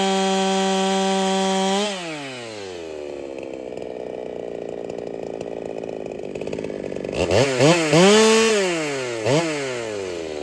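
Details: Ported Holtzfforma 395 chainsaw, first test after build changes: a high scream that bogs and drops pitch in the cut. Owner says it runs like the rings need seating badly; carb fattened, cut RPM about the same. Low compression suspected, poor power under load.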